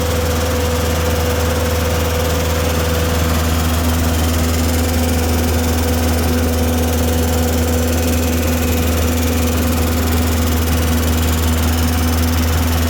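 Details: Tennant M20 sweeper, Vortec 1600 engine, first run after a head gasket replacement: an even, steady low thrum at constant speed with no knocks or misses while assembly lubricant burns off. It later ran 40 minutes, so the engine is healthy.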